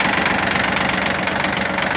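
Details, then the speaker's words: Shibaura P17F 17 hp Japanese mini tractor diesel, 747 hours, glow plugs preheated, started in cool weather: fast even diesel clatter at steady idle, no odd knocks or misses; normal diesel idle. "Отлично работает двигатель ровно четко без лишних Шумов каких-то"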